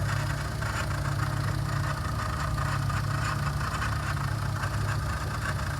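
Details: Car idling with a steady low hum and a faint rapid rattle; noise suspected at the water pump, and the check-engine (injection) light comes on by itself while running. Abnormal engine noise, source not confirmed.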